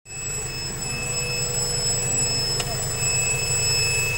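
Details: Honda B18C6 B-series petrol engine running: thin steady high-pitched whine at constant pitch over the engine; source undetermined; high-pitched engine whine.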